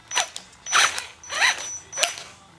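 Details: Axial SCX10 Honcho RC crawler, originally RTR, later fitted with a different motor: small electric drivetrain whine broken by four sharp pops about every 0.6 seconds, getting worse, caused by worn-out stock drive shafts.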